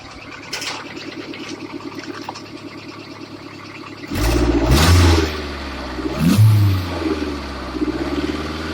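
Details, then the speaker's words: Loud, rough, clattery idle with rattling chatter swelling on each throttle blip; noisy engine and belt, coolant leak noted, plan to quiet the belt. "Just so much damn noise. What do I really hear?"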